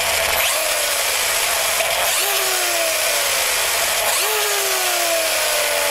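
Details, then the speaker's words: Noisy but smooth RC truck set up for on-road street running with on-road tires; discs, pinion, spur gear and bearings reported in top shape, giving loud but even gear whine rising and falling with motor speed, no clicks or skips; normal drivetrain gear noise. "okay just give you a quick listen to it now understand my discs are in tip-top shape my uh pinion spur all good bearings mint condition so you take a listen this is running smoothly as far as i'm concerned but it is noisy"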